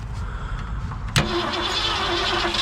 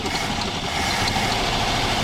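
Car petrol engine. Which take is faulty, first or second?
first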